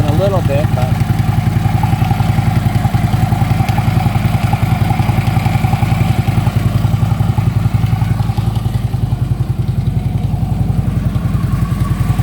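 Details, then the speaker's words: Harley Ultra Limited V-twin at idle after a new compensator was fitted; the compensator is now quiet. A loose knock or rattle comes from low in the engine, and the owner can't locate it even with a stethoscope: lower-end knock at idle. "It's almost like something's loose. It's like a rattle. I can't lock in on where it's coming from."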